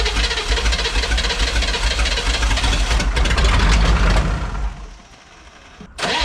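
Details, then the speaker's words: 1985 Chevy K30 rollback diesel with mechanical fuel pump, first start, filter housing bled, jump pack on: cranks and catches into a rough clattering idle with an occasional uneven beat. Possibly a couple of misfires. "all right got it going sounding pretty good maybe a couple misfires"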